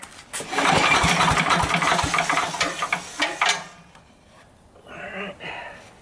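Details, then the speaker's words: Sears Craftsman 9HP chipper/shredder, over 30 years old and unused 5–6 years, with 2-cycle mix dribbled in, choke partly open and throttle up. Several rough recoil pulls never catch. Owner suspects slow pulls, too much oil, not enough fuel; the cause is a dirty, leaking carburetor. "I don't think I'm pulling fast enough, but I can't with this rope. There might be too much oil in it too. Not enough fuel."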